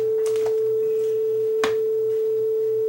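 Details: Pioneer CT-F1250 cassette deck after mechanical overhaul, not recapped, playing calibration tape with quartz lock on: pure rock-steady test tone near 440 Hz, no wavering or flutter.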